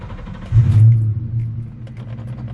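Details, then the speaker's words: 1998 Mustang Cobra (SN95) just after a Walbro 255 fuel pump install, quarter tank of fuel, clutch in and neutral: engine starts on the first turn of the key with a deep rumble, flares briefly, then settles to a steady, even low idle with no misses. Normal start and idle. "oh with one turn of the key and she started up"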